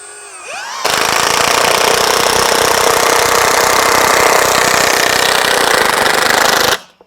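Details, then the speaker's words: Milwaukee M18 FUEL Gen 3 1/2" high torque impact wrench, 5 Ah battery, speed 2, driving 3/8 x 6 lag bolt into 6x8 treated timber without pre-drilling: fast steady hammering rattle about six seconds; working normally. "just one day of testing I'm very impressed with the way this works"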